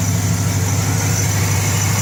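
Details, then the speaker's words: Idle after sealing front exhaust leak: steady low rumble with even beat, no ticking or puffing from front of exhaust; leak fixed, sounds sealed and healthy. "You do not hear the exhaust leak. You very seldom hear it. You don't hear the exhaust leak."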